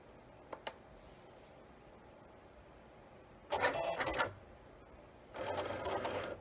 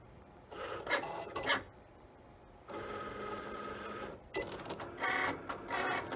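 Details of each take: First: Cricut cutting machine bought April 2022: two rough buzzing grinding bursts while cutting; fix found online. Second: Cricut cutting machine, bought April 2022, after replacing the wrong old-machine power cord that caused loud grinding: short whirring carriage moves with brief pauses, a clean motor buzz and no grinding, normal cutting.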